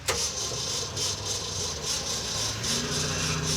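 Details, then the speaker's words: 1967 Ford F-series truck died coming down a hill on lift-off and now cranks steadily at about 3.5 beats a second without firing; owner suspects idle set too low, and it puked out the bypass. "this thing died coming down the hill because when you lift off the throttle I think the idle is too low"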